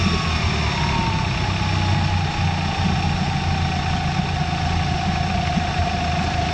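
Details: 2023 Mercury 150hp four-stroke outboard on water tub, throttle raised slightly while warming up: steady low hum with even fast idle and a faint constant whine, no misses or knocking; running well.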